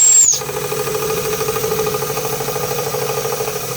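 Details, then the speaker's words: Märklin 16051 twin-cylinder model steam engine, still running in, about third or fourth run: short hiss then quick, even chuffing at a steady pace with no knocks or stumbles; normal running. "This is still, this is still running in. This is only about the third or fourth time I've run it. Oh, this is lovely. Yeah, still working."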